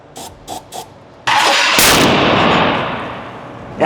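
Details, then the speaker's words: Old Toyota Land Cruiser petrol engine with distributor plug wires being swapped to fix timing: a few sharp pops then a loud bang and roar as the throttle is blipped; exhaust backfire from incorrect ignition timing. "there goes his Muffler there it is I tried to grab it for real quick that's okay we're close we're close"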